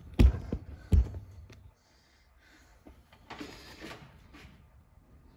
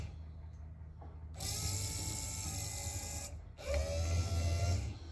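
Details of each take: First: 1964–66 Ford Thunderbird convertible rear quarter power window regulator after rebuild and track adjustment: steady motor hum with a faint single creak near top of travel, much quieter than before repair. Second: 1964-66 Ford Thunderbird convertible rear quarter power window mechanism after reassembly with spring removed, bench-powered: two short runs of steady, even motor whine, no spring clatter or binding; normal operation.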